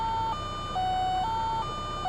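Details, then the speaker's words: 2002 VW Cabriolet automatic just after firing up: a repeating three-note electronic chime, high-low-mid about once a second, over a quiet idle. It is the door-ajar warning. "What is that? I feel like it's about to explode. Like, is it my door? It's my door."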